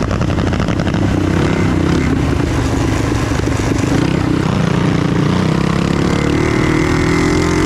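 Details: Trail Master MB200 mini bike with Stage 3 223cc engine, metal frame bushings fitted, heavy rider test: revs climb and hang high under load while drive lags, engine flaring; rider suspects the belt is slipping, needs a new belt.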